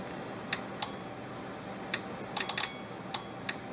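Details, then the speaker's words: Seeburg jukebox mute trip relay troubleshooting, powered on with pin set jumped; sharp, crisp clicks at irregular moments over a faint steady hum; relay pulls in and switches normally, problem suspected elsewhere in the reject switch circuit. "there's our relay. Our relay is working."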